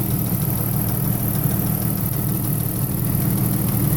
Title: Possible lifter noise. At idle. 98 Wrangler 4.0